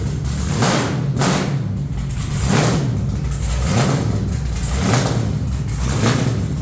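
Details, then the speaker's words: Truck's first fire-up with headers on and new red valve covers, possibly running some methanol: deep, loud V8 rumble rising and falling in slow swells about once a second, steady and even underneath. Normal running. "oh yeah sounds good I think it's way louder than death trap"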